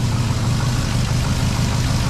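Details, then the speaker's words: 2006 Trailblazer SS AWD V8 after Speed Engineering long-tube headers, y-pipe, FTI 3200 stall converter and retune, 4-inch intake: deep steady burble, even low rumble, no ticks or misses, loud through headers; normal idle. "Oh, that sounds good. I like that little snap when it starts. It's all that air sucking into the 4-inch."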